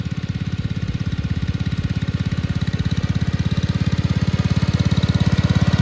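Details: 1962 Bolens Ride-a-matic garden tractor on an outdoor drive after restoration: steady, even single-cylinder thump at fast idle, picking up slightly toward the end, no knocks or misses; healthy, runs very well.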